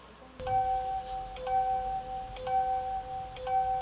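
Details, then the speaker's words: Hyundai-Kia car's seat belt reminder: a soft two-tone chime repeating about once a second when the seat belt is unfastened, designed to urge occupants to buckle up. "여러분들이 시체 벨트를 매지 않았을 때 차가 여러분들에게 내라고 강요하는 소리가 되겠습니다"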